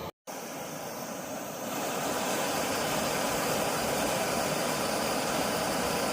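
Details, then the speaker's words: Optimus Nova stove after taking it apart and cleaning the jet with carb cleaner and compressed air to cure rich, weak running: steady, even full-blast roar with no sputter or pulsing, much quieter than before. Now running clean. "there it is full blast much much much quieter isn't it"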